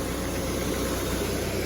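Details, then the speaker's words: Dodge Neon at idle after replacing shredded alternator belt (loose alternator let belt jump and cause loud ticking), belt now properly tightened, oil full: smooth even petrol idle, steady low hum, no popping or clicking; fixed. "No popping and clicking. Look how tight that belt is. Nice and quiet."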